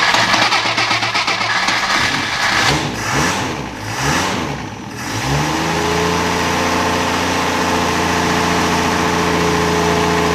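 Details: 1963 Rambler Classic 660 after sitting a long time; cranks and catches after a few seconds of uneven firing, then settles into a steady, even idle with a smooth low hum.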